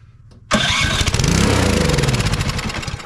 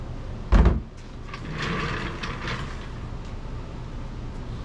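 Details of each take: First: Troy-Bilt Storm 2420 snowblower (model 31AS6KN2B23), won't start: with carb cleaner/starting fluid sprayed into the intake it catches sharply, runs rough a couple of seconds, then slows and dies. Runs only on starting fluid, so a carburetor or fuel delivery fault. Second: Troy-Bilt Storm 2420 snowblower (model 31AS6KN2B23) after ultrasonic cleaning/rebuild of its Huayi carburetor for won't-start/surging complaint: engine catches after handling clatter and holds a steady, even drone without surging or hunting; smoke is only debris burning off the muffler. Normal idle.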